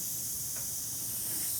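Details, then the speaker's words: Oryx electric unicycle tubeless off-road knobby tire, about 1,200 miles: steady high hiss of air escaping at good pressure after a small thorn was pulled from between the knobs; puncture air leak, no motor running. "a thorn. Not that big. And can you hear the air? It's coming out nice pressure."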